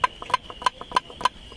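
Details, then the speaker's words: Worn lower control arm (triangle) with torn, rusted bushing, rocked by hand with the wheel off: sharp hollow clacks, about five in under two seconds, from excessive play; the cause of clunking over bumps and potholes, fixed by replacing both control arms. "Mais là, ça bouge, limite, quand on va dire quand la roue elle tourne, ça fait une secousse, on va dire ça claque."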